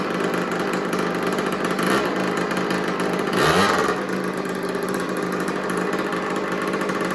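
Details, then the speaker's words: Old made-in-Italy two-stroke 50cc mini MX dirt bike, unknown brand, just revived with the spark plug fitted and gas added; idle turned down, it buzzes at a steady, even idle with one quick throttle blip settling back cleanly, running healthy. "all right so I turn the idle down now it runs a little better"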